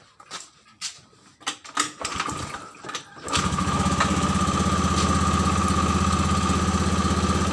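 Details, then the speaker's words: 2014 Honda Beat injection scooter after reconnecting a broken charging coil wire, which had made it sputter and die: starts without a charged battery after a few clicks and settles into an even, steady idle. Normal idle. "nyalanya enak jadi kalau pengisian normal ya pengisian normal sekalipun tidak ada aktif itu tetap mau"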